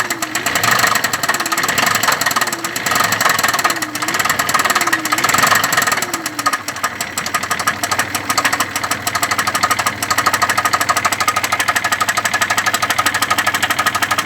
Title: Стук в двигателе